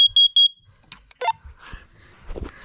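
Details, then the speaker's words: Upstairs hallway smoke alarm during the January smoke and CO alarm test: quick run of sharp, high-pitched beeps in a steady pattern, then quiet; the alarm works properly. "that one's good"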